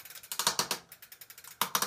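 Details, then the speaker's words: Bicycle drivetrain, sharp dry clicks in quick bunches, several per pedal push with pauses, appearing under pedal pressure; owner suspects the crank or bottom bracket, not confirmed. "so it seems like the crank or bottom bracket is just uh really noisy"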